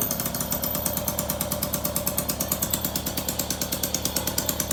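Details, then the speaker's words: Motobecane two-stroke moped, idle set too fast before adjustment at the idle adjust screw. Rapid, crisp, even, loud pulsing: high idle. "Now, it looks like we might be going a little fast. Let's see, let's get under here. Right here's our idle adjust."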